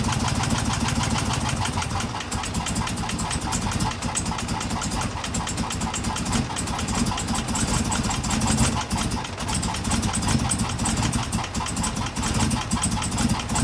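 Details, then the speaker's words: 2016 Chevrolet Camaro LT1 V8 at idle, with a factory fault that first seemed like bad gas. Lumpy, loping idle with irregular stumbles; misfire from the number 5 valve spring, cracked at the top, with no valve-to-piston contact. "the good news is is that my number five valve spring they had cracked and even better cracked at the top meaning that the valve wasn't able to travel down far enough to hit the piston"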